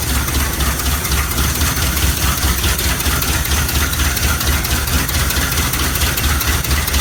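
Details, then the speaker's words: 1969 Chevy C/20 with 327 V8, first start after 40 years, muffler cut off, ignition and exhaust work done: loud, lumpy but steady idle, regular exhaust pulse, no knock or misfire; runs quite well. "yeah awesome well it runs and quite well"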